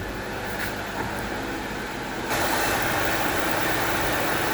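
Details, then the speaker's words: Six-cylinder car after electrical fault work, warming up at idle, heard at the exhaust: smooth, even idle with no missing beats, hitting on all six and not missing in gear; normal idle. "Sounds like it's a little happier. Let's go back at the exhaust. So, I don't know if y'all can hear, but it's very smooth."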